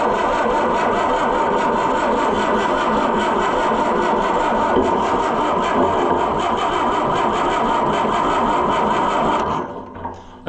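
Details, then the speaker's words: Oliver 550 diesel tractor: steady rapid starter cranking for about nine seconds with no catch, then it stops. It cranks but won't start; the owner suspects a stuck injection pump and dry fuel lines. "Doesn't it sound like it wants to start? But I'm just sure that that pump's probably stuck."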